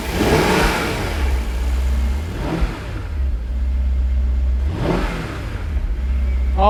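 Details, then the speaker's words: Daimler 4.0 V8, restarted after sitting unused since 2016, fuel tank not fully refitted; engine runs and sounds great, pulling smoothly through several blips and settling to a deep, even burble; coolant not low, level sensor probably stuck. "it runs and it sounds great it's not low on cooling at all"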